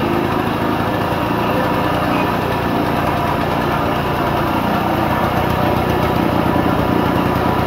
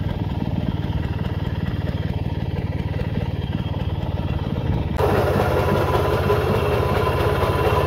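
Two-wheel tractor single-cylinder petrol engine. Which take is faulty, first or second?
first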